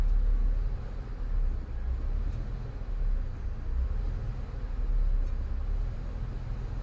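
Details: 2002 Ford Escape 3.0 V6, 217k miles, warm idle: low rumble swells and sags, never settling, sometimes stalls, oil pressure light flickers as rpm drops; IAC and throttle body cleaned, oil pressure sender replaced, still fluctuating; rough idle, cause unknown.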